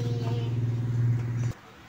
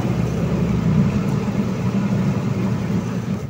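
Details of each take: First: Micromatic single-tub washing machine noisy when spinning: hand-turning the empty, unpowered drum gives a loud wavering low hum-drone for a second and a half; worn gearbox, to be replaced. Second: Micromatic single-tub washing machine, after gearbox replacement for a noisy spin: a steady low motor hum with an even whir, spinning smoothly and strongly without knocks or grinding, no leaks. Normal spin.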